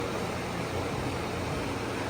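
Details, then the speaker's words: Idling petrol engine running well but with a loud, raw exhaust rumble from an exhaust leak; the flex pipe is broken inside and needs replacing. "just the exhaust man is loud it's not fighting anymore just got out exhaust gets um this right here well it's broken inside so you gotta replace this flex pipe"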